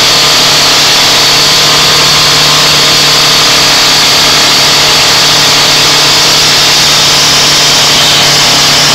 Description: Joes landrover defender 200 TDI started for the first time after a years rebuild and this is what happens when the engine runs off its own oil